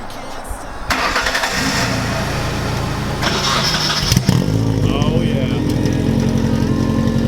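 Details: Nissan 240SX after starter replacement (old one just clicked) and new brake lines, battery jumped since dead: starter cranks briefly, engine catches and settles into an even idle, then a clean rev blip; starts and runs healthy.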